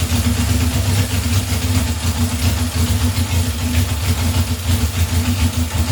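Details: 1978 Honda CB750 K8 at first start after ignition/starter repair and carb install, booster on battery, temporary fuel supply: steady, even low burble with no misses or knocks; smooth, settled, healthy idle.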